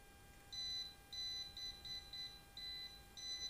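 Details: Well water pump not running, suspected broken cable, traced with non-contact voltage detector: sharp high beeps in uneven bursts, about 100 a minute, in a quiet room; pump cable still live at this point.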